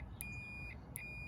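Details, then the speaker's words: Auto-parts-store Ford 4-post starter solenoid tested with a meter on the I terminal: two steady high continuity beeps show the terminals are connected. "And I'll show you continuity. You hear buzzing?"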